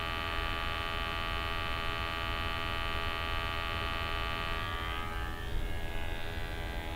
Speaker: now that we've done that we are going to proceed and we're going to check the sample pump now you can hear the sample pump running but that doesn't necessarily mean that it's drawing in a sample